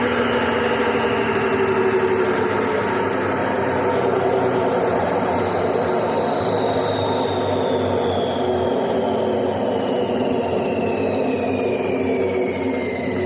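A loud, steady rushing roar with high whining tones that slowly fall in pitch, from worn drum bearings. Cause suspected, not confirmed.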